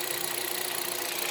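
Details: Hyundai Solaris 1.6 126 hp, automatic, 60,000 km, at idle after oil change to 5W-40: fast, even light tapping over a quiet, steady idle; engine knock at idle, source not pinned down by ear.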